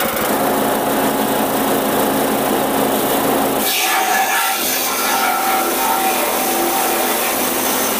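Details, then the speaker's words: Blitar-made multifunction chopper (forage/grass shredder) small engine with fan belt drive, chopping a solid wooden stick into chips: steady scream whose tone sharpens and roughens as the blades bite, holding speed; normal operation under load. "Ini hasilnya, kawan-kawan. Ini batang kayu bisa menjadi serpian-serpian."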